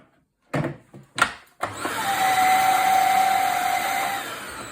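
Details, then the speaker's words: Used vacuum cleaner bought secondhand: a few handling knocks, then the motor spins up to a steady roar with a thin high whistle on top. The source of the whistling is unknown. "là il a un bruit de sifflement parce que je vais prendre un aspirateur à moi. Il y a un bruit de sifflement, je sais pas d'où ça vient."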